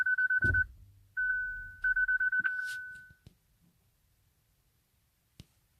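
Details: Hyundai Ioniq Electric won't start, brakes problem shown, key not detected, start tried by pressing the key on the start button; quick pulsed chimes, a sustained tone, then another pulsed burst as it refuses to start.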